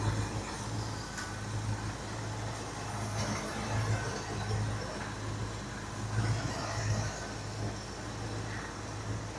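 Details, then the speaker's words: 1981 Jeep Wagoneer Limited, AMC 360 V8, revived after sitting 20+ years, warming up while timing is adjusted and thermostat opening awaited: quiet, low, steady burble with a gentle lope, no ticks or misfires. Purring, normal idle. "She is just purring like a kitten, even with us messing around with the timing."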